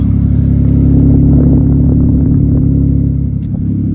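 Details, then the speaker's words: 2003 Mitsubishi Eclipse GTS V6 during rebuild, after an earlier cylinder misfire code: deep, even rumble with steady beat, no stumbles or skips, louder and more muscular than before, runs smoothly; normal running. "but now it just sounds really loud. Like it's way better than I thought. It runs smoothly and everything."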